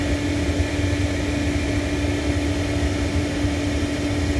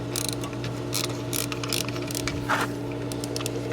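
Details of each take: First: Hayward propane pool heater after gas valve replacement: even, steady burner roar with a constant low hum and no grinding or rattle. It had ground on start-up and then failed to fire from a faulty propane valve; now firing normally. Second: Hayward propane pool heater on start-up: steady low hum broken by irregular harsh grinding, ratcheting bursts about every half second; inducer motor ruled out, progressed to no-fire over two weeks; traced to failing gas valve, replaced.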